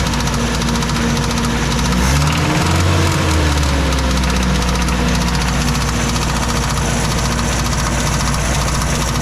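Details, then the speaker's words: 1986 Mazda B2000 2.0 after Weber-type carburetor swap, idling: rough idle with intermittent light knocking three to four per second; owner says it sounds like something slapping the valve cover, earlier sounded like rod knock; cause unclear. "okay so kind of tinkered around on it a little bit while it was idling um it sounds like something is slapping the valve cover"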